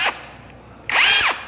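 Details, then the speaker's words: Mini cordless brushless rotary hammer drill on Makita 18V battery, auto-stop mode (reverse direction): short whirr spins up, holds briefly, then winds straight down and stops; working normally. "Đây là chế độ auto stop nha."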